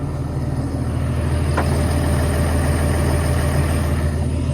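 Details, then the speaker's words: Old 140 digger diesel with about 10,000 hours, just started after a repair; deep, even idle with a steady low thrum and no misfire or knock, a little smoke still, sounding much better. "There's a little bit of smoke still, but I think that's to be expected from a machine with those hours."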